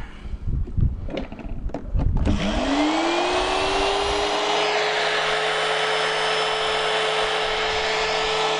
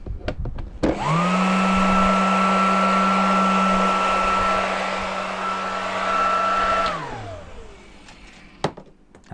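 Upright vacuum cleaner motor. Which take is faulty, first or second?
first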